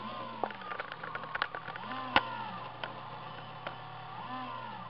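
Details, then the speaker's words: Old 2005 desktop PC with GeForce 5500 card: CPU fan pitch swells and sinks every couple of seconds over steady hum as a foreground program pushes CPU to 100%; fan speed surging from high CPU load. "100 just shoots up to 100 and there's a foreground program doing that so that's why the fan keeps going up and down up and down"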